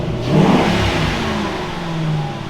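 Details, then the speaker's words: 2005 Mustang GT convertible V8 after fuel pump replacement and fresh fuel, fixing a suspected fuel issue where it fired but would not run: catches, revs smoothly, settles to even strong idle, no misfire; normal running. "Oh, Tim. Hey, she's running, buddy."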